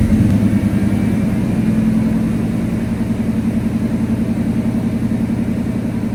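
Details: 1990 Chevy square-body Suburban V8 with dual exhaust, after sitting all summer: steady even low idle rumble, no knocks or misses; old engine settles in and runs smoothly; normal idle.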